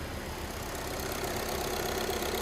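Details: VW Polo with variable-speed AC compressor, after replacing the compressor control valve (before: refrigerant present but no cooling): steady idle with soft constant compressor hum, no knock or squeal; now cooling well, normal compressor operation.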